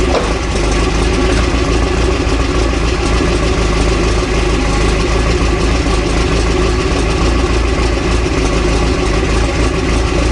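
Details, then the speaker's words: Toyota 22RE dually with Redline Beast Cam, after alternator replaced (squeal gone) and valve lash and timing reset: steady even low idle rumble, no squeal or ticking; sounds healthy, owner estimates about 15 hp gained, worries head gasket may be compromised. "feels good sounds pretty good i'll fire it back up so you guys can hear it again"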